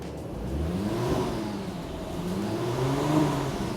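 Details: 100k-mile VW MK4 R32 VR6 after timing chain, water pump, clutch and full exhaust replacement, missed vacuum line reconnected: smooth, even revs climbing and settling with no knocks, ticks or rattles; some smoke from oil residue on the new exhaust.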